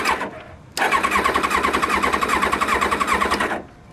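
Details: 1999 Kawasaki Ninja ZX7R, 750cc, four carbs uncleaned for three years, at pre-winter storage with a new battery: the starter cranks briskly with even compression but it never fires despite spark and fuel. Water was found in the carbs and two spark plugs were oily.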